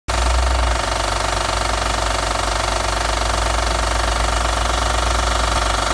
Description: 2009 acura tl sh-awd engine knocking/cold start.